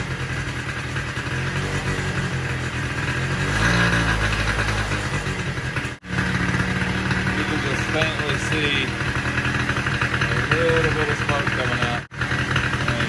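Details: Polaris Sportsman 90 ATV with cleaned aftermarket carburetor: small single-cylinder engine fires up, revs briefly, then holds a steady, even putter at idle; runs properly.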